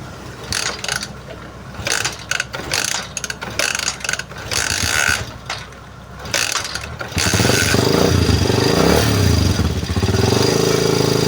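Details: Motorcycle after CDI replaced with a Liwa unit (old one worked intermittently) and spark plug and cap refitted: several seconds of mechanical clicking and clatter, then it catches and settles into a steady, even idle; starts and runs normally.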